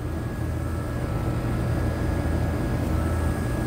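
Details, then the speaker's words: HVAC condenser unit on a no-cooling call in 100-plus degree heat: condenser fan motor running with steady drone, compressor only buzzing and not starting; system also low on refrigerant. Cause found to be a burnt wire connection. "condenser fan motor point8 but watch the compressor I hear it like making a buzzing noise"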